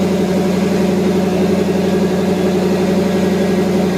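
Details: 1982–92 Firebird/Camaro after replacing the failed fuel pump (first thought to be bad fuel) and tank: smooth, even idle with a steady low drone and no hunting or misses, where before it idled up and down wildly.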